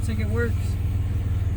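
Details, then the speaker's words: 1995 GMC Jimmy 4.3 L V6 after new spark plugs, wires, distributor cap and rotor, previously misfiring at cold start idling about 500 rpm: low, even pulsing idle with no stumble; possible small exhaust leak noted. "it's idling properly so far um when i was misfiring my cold start it was uh idling about 500 rpms so so far so good sounds sounds good"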